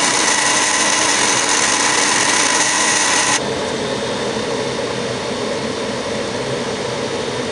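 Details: Furnace on start-up: a harsh, steady whirring hiss with a gritty edge that drops in level after about three seconds; start-up grind, cause unknown.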